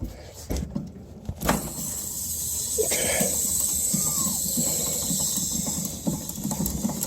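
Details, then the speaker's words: Newly installed split AC, suction (large) service valve opened first: steady high refrigerant hiss as the line set equalizes; once hissing stops the small liquid valve is opened. Normal. "you want to open the suction line first the big one and then let let it equalize or all pass through and it should be stopped up right here and once you hear it stop hissing you can open the small guy"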